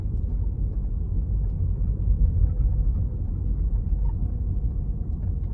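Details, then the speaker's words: 2008 Toyota Prius, about 50 mpg, original hybrid battery and struts, driving on battery only at parking-lot speed (around 15 mph): soft tyre rumble with no engine note, a quiet, healthy electric-only drive. "yeah like right now I'm driving on battery only great parking lot here just listen how quiet the ride is"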